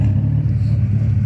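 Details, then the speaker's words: Honda Civic at idle on a cool day, O2 code after distributor replacement, with burned plugs, an exhaust leak at the headers and oily rear harness wires, white smoke after black soot: deep, uneven rumble with slight surges; running rough, cause not confirmed. "you guys if you can hear this this is how this is running right now now it's kind of cold out here but not that cold"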